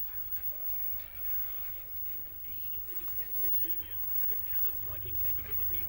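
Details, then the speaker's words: 21-inch slim CRT TV: muffled programme sound over a constant deep buzzing growl that never lets up; distorted audio, cause unclear. "suarana ngorok ngorok suarana tehd suara [tertawa] H suara ngorok"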